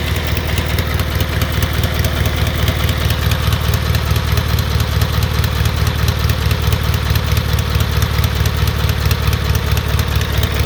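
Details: 1978 Gravely 8163-T tractor with an Onan B43M opposed twin. A steady low idle carries a sharp tick about twice a second. The owner suspects a leaking gasket between the exhaust manifold and the block.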